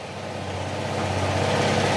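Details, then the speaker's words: Honda PCX160 after an engine overhaul, with coolant and oil refilled: steady, even idle pulses settling as it warms, and the earlier cricket-like chirp is gone; normal idle. "Wala na yung tunog kuliglig"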